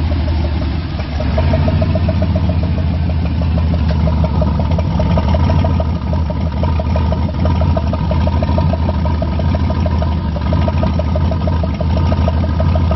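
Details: First start of a Gen 4 V8 rebuilt with new rods, pistons, oil pump, cam, lifters and all gaskets: a deep, even rumble holds steady through idle and light revs with no knocks or misses; normal idle and revving.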